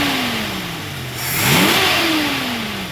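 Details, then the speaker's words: 1974 Ford Bronco freshly rebuilt V8 (flat-tappet cam), warm at 180°F thermostat, idle about 750–800 rpm then a smooth rev blip and return; even note, no knock or misfire, healthy. "Very smooth. Idle's about 750, 800."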